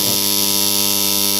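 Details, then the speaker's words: Submersible pump starter buzzing with a loud, steady, harsh drone at mains pitch as soon as it is switched on; the fault is the contactor vibrating excessively. "उसके बाद कांटेक्टर में ही fault है देखिए दोस्तों यही पर main fault है इसी के कारण न आती है दोस्तों हमारी जो कांटेक्टर है बहुत ज्यादा वाइब्रेशन करती है"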